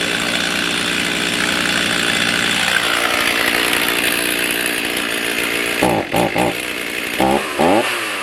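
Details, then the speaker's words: Stihl MS310 chainsaw that ran rough and stalled when hot (ignition coil problem, tight coil gap), after 10–15 minutes warm idling: screams at steady high revs, blips snap back crisply without bogging or dying; normal throttle response. "Okay, she's been running for probably 10-15 minutes. We're sitting at idle. Let's see if she still throttles up like she's supposed to."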